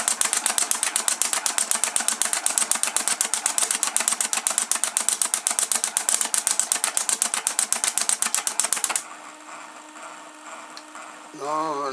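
Steady fast scraping strokes, about four per second, light and thin with no bite; blades are rubbing the plastic instead of shaving it.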